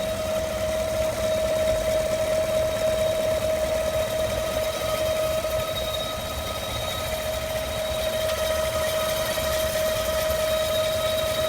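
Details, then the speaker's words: 2015 5.3L truck, 8k miles, idling after a drive with the hood open: an airy, vacuum-like whoosh with a thin whistle that comes and goes sporadically; belts fine, fans, AC and heater off, cause unknown. "More driving, just got home. Here's the vacuum sound. Sporadic."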